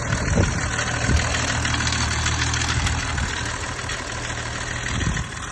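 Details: BMW M550d diesel at idle: loud, with a rough, fast knocking clatter of about four per second over a heavy rumble. Abnormal noise; turbo failure or engine failure is suspected, not confirmed.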